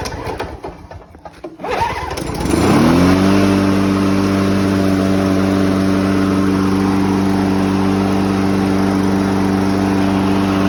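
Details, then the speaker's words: Sachs-Dolmar 2-cycle push mower with no primer or choke, on 50:1 mix: a few rough pulls, then it catches into a strong, steady two-stroke buzz with even firing; healthy running. "um so yeah that's how it runs it takes a few pulls"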